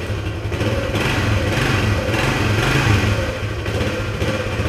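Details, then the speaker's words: 1976 Honda XL175 single, first start after restoration, stone cold with no choke, 10W-40 oil, P90 exhaust; owner suspects carb slightly gummed: small single pops at a fast, slightly lumpy idle, otherwise running healthy. "usually when I ride it regularly one kick no choke cold and it is stone cold"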